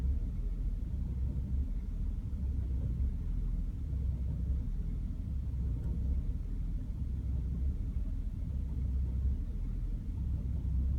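A low, heavy idle rumble with an uneven, lumpy pulse underneath instead of a smooth beat; the engine is idling rough.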